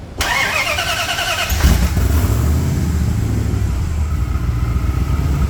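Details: Hellcat-swapped Jeep Wrangler with freshly rebuilt V8, after repairing an intermittent fuel pump fault (melted stock connector, sliced wire reloomed): quick crank, clean catch and deep, even idle without stumbling; starts and runs healthy.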